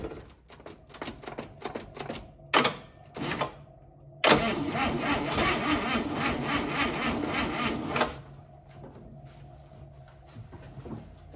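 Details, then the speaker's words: 1955 Chevy classic restoration, engine won't run on its own: slow uneven starter cranking, then it catches on fuel poured into the carb, fires roughly about four seconds and dies; owner suspects weak battery lacks juice, plans battery jumper. "well we got her to bark off for a second with the fuel I put in the car but I'm gonna go ahead and put uh put the battery on the jumper I don't think we got enough juice there"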